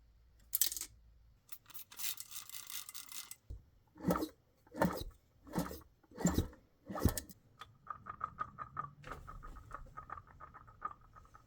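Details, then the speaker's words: 2000 Honda CR125 two-stroke engine being disassembled: case rocked by hand gives rhythmic metallic clatter, about one burst a second, from loose metal debris in the transmission side; one piece already fell out into the hand, another still heard rattling. "Something rattling around in the bottom of this, and we're going to find it."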